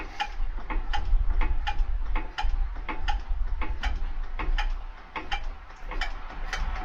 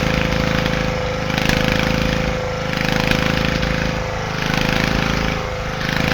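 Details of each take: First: Petter AC1 diesel on a Kango generator, probably late 1970s, idle for years outdoors, first start attempt near freezing, decompression lever feeling odd: slow steady cranking about three beats a second, then harder, quicker bangs as it intermittently tries to catch. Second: Petter AC1 single-cylinder diesel on a Kango generator, probably late 1970s, idle for years outdoors, started near freezing: a steady chugging beat with a slow rhythmic swell as the engine keeps itself running. Diesel engine running.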